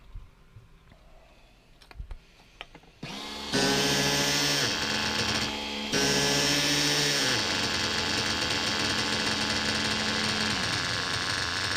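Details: Reds R5 nitro RC engine, low-speed needle leaned and idle raised, run indoors with a 3/8 fuel injection line on the pipe: screams up to a high steady even buzz with no knocking; earlier "chipmunk" noise gone, normal running.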